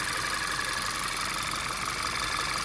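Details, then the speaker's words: Hot idle of 2014 VW Tiguan 2.0 TSI (CCTA) after turbo-to-downpipe gasket replacement; even, hissy idle with no ticking or puffing at the exhaust joint, no leaks, downpipe gasket sealing; normal idle. "Go ahead and shut her off. Everything sounds good. There's no leaks."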